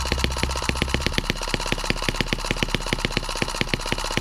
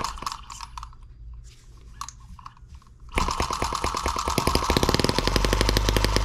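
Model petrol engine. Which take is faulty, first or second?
first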